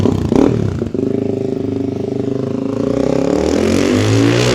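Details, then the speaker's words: 2006 Suzuki DR-Z400SM single-cylinder, possibly warm enough not to need choke, after converting from the old carburetor to an FCR carb (52 pilot, 155 main jets, 9 mm float height) with 5×4 airbox and Yoshimura full exhaust; after a blip it settles to a steady, even tickover with no misses or clatter, running sweet. "Ticking over. Absolutely sweet now. And it's got so much more power than it used to have with the uh the old carburetor."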